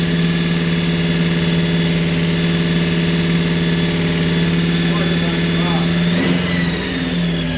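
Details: Holden HQ 308 V8, first start after full rebuild to stock spec (bores re-sleeved to standard 101.6mm), Crow Cams 5651 cam (493 lift, 282 duration, LSA 114) for fair-medium idle; steady slightly lumpy low drone, brief blip near end, no misses: normal idle.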